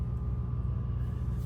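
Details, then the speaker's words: LG top-loading washer in its rinse cycle: the drain pump gives a steady, low electrical hum with no water moving and does not drain. The owner is unsure whether a new pump is needed. "it went into its rent cycle where it would start to drain and poof same issue again you can hear it"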